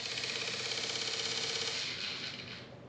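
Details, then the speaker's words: 2006 Polaris Sportsman X2 with newly fitted SuperATV power steering kit, key turned on for first test: fast even light ratchet-like clicking about three a second from the steering unit, cause unknown; system then worked. "hear that i don't know what that thinking noise is let's turn it back off"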